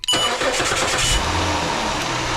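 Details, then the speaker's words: 2006 Chrysler 300 3.5 V6 with about 120,000 miles, previously a no-crank no-start, cranked by bypassing the ignition switch with a jumper wire: fires almost instantly and settles into a steady, even run. "fires right up all right we got a uh 2006 Chrysler here right 3.5"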